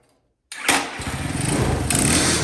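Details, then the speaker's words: Small single-cylinder mini bike engine (new Champion, previously no spark, running after a new 12V simple harness, CDI and coil) fires up and settles into a slow, loping putter; idle sounds slightly low and may need turning up. "that's a nice sound I haven't heard for a while yeah you're taking the plug out of that Gathering yeah nice Dad sounds like the idol might need to be turned up just a little bit"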